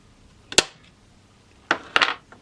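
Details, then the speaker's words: FWB 65 air pistol, reassembled with some parts replaced, dry-fired without a pellet with the muzzle pressed into a cushion: a sharp trigger click, then a crisp double snap as it discharges. Trigger release works normally. "and it works. At least it seems to work. And it's gone off."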